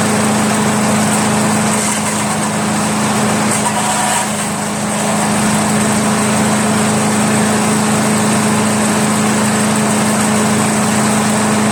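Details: Craftsman chipper shredder flathead engine, restarted to confirm it works after head removal, carbon cleanup and a 320-grit sandpaper valve-seat job, idles with a steady, even hum and no misses or knocks; normal idle.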